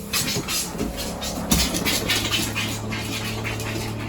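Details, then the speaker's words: Motorhome/RV fresh water pump, all taps closed: steady low electric hum as pump keeps running; air trapped in the water system, fixed by bleeding air through taps, after which pump switches off. "if the water pump keeps running and none of the taps are open that usually indicates that there's a air block or air in the system if you let that water pump run for too long it'll eventually basically burn itself out"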